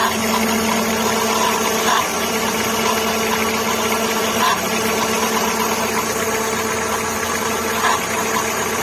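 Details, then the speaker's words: VW Gol G5 idling with a steady whirring whine and faint scuffs from a worn AC compressor belt; swapping in a used belt stopped the noise, and the compressor bearing replaced elsewhere was not the cause. "Não tem barulho nenhum, não tem folga aqui. O problema provavelmente vai estar na correia do... Essa correia aqui, do compressor."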